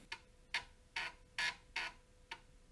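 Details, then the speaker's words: IBM PS/2 Model 50 floppy drive tested outside its cage with a reference disc, no CMOS battery: crisp evenly paced head-stepping ticks about two a second over quiet motor hum; drive reading and working normally. "okay it moved ahead and the motor spins sounds like it's"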